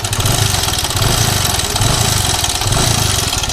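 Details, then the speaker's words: Hero Splendor iSmart 110, 2017 model, kick-started (battery down), idles with a loud metallic clatter over the thumping beat from a worn, slack timing chain, chain being replaced for the first time. "कितनी बेकार इसकी जो timing chain के sound है वो आ रहे हैं, आप सुन पा रहे होंगे दोस्तों।"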